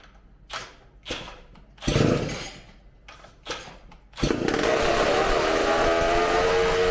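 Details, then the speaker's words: McCulloch supercharged chainsaw on bench after carb cleaning and new gaskets, running off tank fuel: a few pull-start tugs, then catches and screams at steady high rev with clean even buzz, supercharger sound, eats fuel fast; runs fantastic. "All that fuel that fast. That sounds fantastic."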